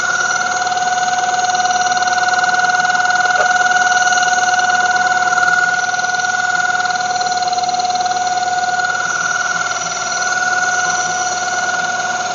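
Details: 1995 Mazda Miata at cold idle: a steady high-pitched ringing whine from the front centre of the engine, only first thing in the morning and gone after 5 minutes. Owner suspects tensioner or water pump; source unconfirmed.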